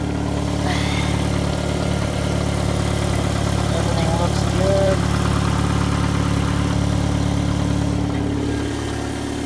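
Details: 2002 Mitsubishi Lancer, 2.0L SOHC 4G94 four-cylinder, running after head gasket replacement. Steady, even idle with a smooth low hum and no knocks or ticks. Normal idle.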